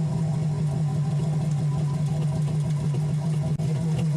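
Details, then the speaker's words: 2003 Yamaha GP1300R two-stroke jet ski on water hose with Riva Racing free flow exhaust, a little louder than stock: steady crisp even drone, no misfires; normal running. "In my opinion, I feel the free flow exhaust is a little louder, but with it installed, it makes it easier to locate water leaks, it makes servicing the bilge pump easier, and it simplifies the exhaust"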